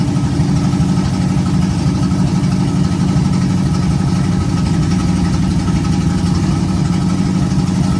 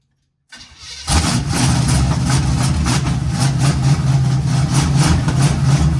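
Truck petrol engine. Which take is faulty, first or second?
second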